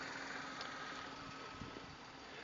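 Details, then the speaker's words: 2005 VW Polo 1.2 petrol/LPG hatchback (autogas system), about 120,000 miles: quiet, smooth, even idle with a faint steady hum and no ticks, knocks or stumbles; the engine is described as absolutely sweet. "um as you can hear the engine's absolutely sweet"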